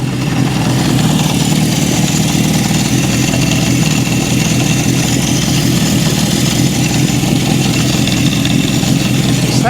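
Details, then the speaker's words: 1972 Honda CB750 Four warming up at idle, about 50 psi oil pressure, oil light coming on: steady busy idle with fine metallic chatter on top; cam chain tensioner suspected out of adjustment, not confirmed; top-end chain rattle at idle. "Sounds to me like I'm hearing some chain. Wonder if the cam chain tensioner is not set properly."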